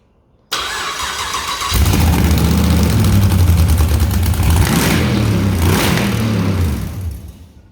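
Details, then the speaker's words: 6L LS V8 in a Mini Mog, first start with the starter wire touched to the battery: brief cranking, then it catches cleanly and settles into a deep, even burble with no knocks or misses. "So when I touch this to the battery, it starts. It lives."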